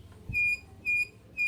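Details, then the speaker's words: Honda Vario 125 front disc upgraded to 220 mm with new caliper bracket, pads about 1,000 km old: three short piercing squeals at slow wheel speed, gone above 40 km/h; poorly fitted caliper bracket, uneven pad wear. "Nah, semenjak saya ganti, rem cakram ini malah berisik ya, suara berdecit."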